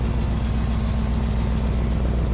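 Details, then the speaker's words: 2000 Chevrolet K2500 service truck V8 idling on jack stands after manifold leaks were fixed: heavy rapid low puffing from underneath, exhaust leak at the gasket between the first and second catalytic converters, spitting condensation. "there, between where the first catalytic converter is and the second one. There must be a big gasket right here. And it's just leaking like crazy out of there."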